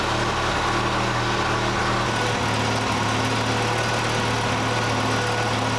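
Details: 1968 Datsun 520 engine, first runs after rebuild: steady, even low idle with a smooth quiet hum, no knocks, misses or ticks; running like a sewing machine. Owner suspects a cracked block along the freeze plug.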